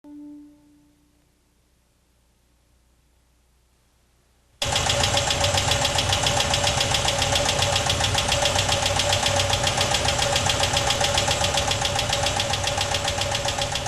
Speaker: got a bad noise joe yep yep i think i got a bad lifter that sounds like more than one i'm gonna put in a whole new set